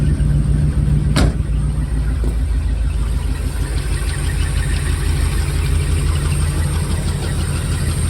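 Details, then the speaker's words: Jensen Healey V8 with new heads, first fire-up, engine stone cold: steady, even low rumble with no knocks or misses, smooth fast warm-up idle; heads smoking off oil. "Okay. Sounds good. That sound good. It's stone cold the engine still. So, it's still warming up."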